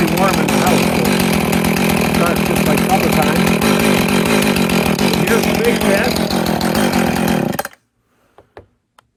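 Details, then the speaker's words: Husqvarna 450 X-torque chainsaw, after repairing the broken ground wire behind the kill-switch fault: a steady high buzz for about seven seconds, then it cuts off cleanly when the switch is hit, so the stop circuit now works properly. "there we go got that fixed it only took two days and a couple of three attempts I had the whole darn thing torn apart and it was just a broken wire"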